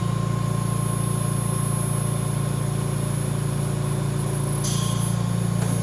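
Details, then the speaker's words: VMUS-DG1 ozone generator (double quartz corona cell) reducing output from 100% down to 30%: steady low buzz with even pulse and no crackle or dropouts. The pitch falls as ozone production decreases, and this is normal. "Once again, as we go from 100% down back to 10%, you continue to hear that change in the buzzing noise that happens as the amount of ozone that is being produced increases and decreases."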